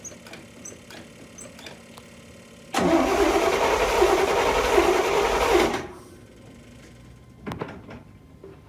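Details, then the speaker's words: 1979 Corvette C3, L82 V8 with 4-speed manual, abandoned 20 years, starting fluid sprayed in carb, transmission fluid in cylinders, 20-year-old gas: catches after cranking, runs rough and ragged about three seconds, then dies, smoking heavily; carb rebuild planned. "I doubt the 20-year-old gas is gonna help."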